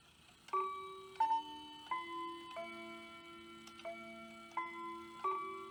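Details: Hamilton bracket mantel clock from an estate sale; the movement doesn't run but the chimes work. Quarter-past chime is about eight evenly spaced, clear, sustained chime notes, playing properly.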